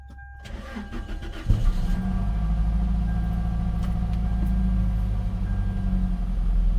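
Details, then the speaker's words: Gen 7 Toyota Celica just after replacing the fuel pump and filter: the pump primes, the engine catches after a short crank and settles into a steady, even idle with no misses while relearning fuel trims; normal start and idle. "It's idling. This is the best idle I've had in a while."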